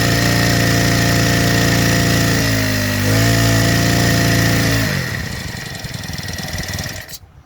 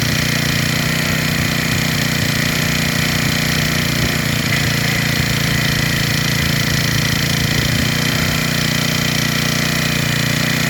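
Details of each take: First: Freshly assembled small four-stroke engine on its first start before carburettor tuning: steady hum that sags, stumbles, then surges back and fades, because too much fuel is getting in and it is running too rich. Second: Freshly rebuilt small four-stroke engine (valves checked, carburetor fitted), idling after carburetor fuel mixture tuning during warm-up: steady, even idle with no stumble or surging, runs smooth and settled; normal idle.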